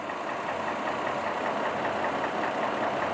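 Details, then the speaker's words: 2002 Chevrolet Trailblazer petrol six with code P0305, idling with an uneven, lumpy beat and the engine shaking. The scanner shows cylinder 5 misfire counts constantly and the cylinder isn't working. A misfire rough idle. "contando desiertos prácticamente todo el tiempo entonces sabemos con esta información aquí que nos da el scanner efectivamente el cilindro número 5 pues no está no está funcionando"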